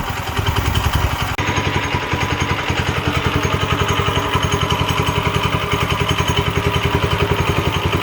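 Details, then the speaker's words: Late-1960s Heathkit Boonie Bike fitted with a newer Subaru-type clone engine (about 5 hp, 170 cc) runs after a fuel-flow fix, with a quick, even single-cylinder putter, no misses or surging; sounds healthy, as a clone should. "okay there we go all right let's see what happens now that's how a clone is supposed to sound"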